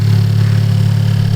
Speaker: Easy start up. So everything seems cool.